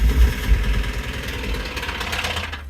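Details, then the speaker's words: 1997 Ford automatic with a new valve cover gasket, a mechanic having suggested a lifter and the owner calling it a rod knock: steady low tapping knock every cycle over a rough idle; actually debris damaged a valve seat, bottom end fine. "listen that is a rod knock that can't be anything but a rod knock"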